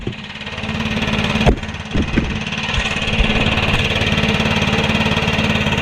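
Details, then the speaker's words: Stihl 4-Mix backpack blower (BR600/BR700 type) after valve adjustment starts on one pull and settles into a steady, even run with no misfire or tapping; normal running. "alright guys so it usually does not start in one pull like that so that adjustment worked great"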